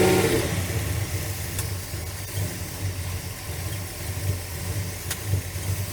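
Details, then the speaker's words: Carbureted V8 truck idling while plug wires are pulled one at a time: rough, lumpy idle with uneven low thumps and a beat that drops out; one dead cylinder misfiring. "come on man let me try these two again they didn't sound right"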